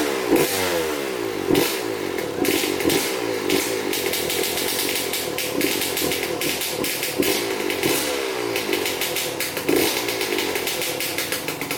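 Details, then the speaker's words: 2003 Suzuki RM125 two-stroke, previously non-running, after clean air filter, cleaned carb and pilot jet, good reeds: starts first kick, sharp crackle blipping up and settling, revs rising cleanly; normal two-stroke running. "that was a pleasant surprise first kick pretty good"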